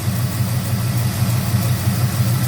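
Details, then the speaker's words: 1971 Oldsmobile with 455 V8, just started after fuel line work: deep, lumpy idle with a faint light lifter tick on top. "Got the keys here. See what she does. I can hear that lifter tick, Battle."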